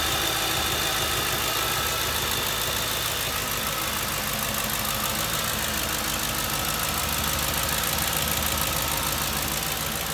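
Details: 2007 Ford Crown Victoria at steady idle with a faint irregular stumble, as if a cylinder occasionally drops out: misfire at idle, cause not yet found.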